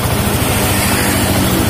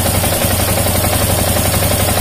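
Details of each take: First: Yamaha Jupiter MX King fuel-injected motorcycle idling fast and even before adjustment of the idle screw; idle speed is set too high. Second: Yamaha Jupiter MX King fuel-injected motorcycle, idle speed screw adjusted; even, steady single-cylinder putter at settled idle, no misses or knocks, light hiss. Normal idle, correctly set.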